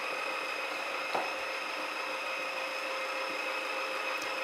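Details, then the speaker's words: Cecotec Freego Wash electric mop cleaning tiled floor, crumbs and dried chocolate in grout; quiet, steady motor hum with light high whine, no knocks or rattles, quiet enough to talk over; roller drive running normally. "est bien c'est qu'il est vraiment très silencieux voyez j'arrive à vous parler en même temps que j'aspire enfin en même temps que je nettoie plutôt puisque ce n'est pas un aspirateur"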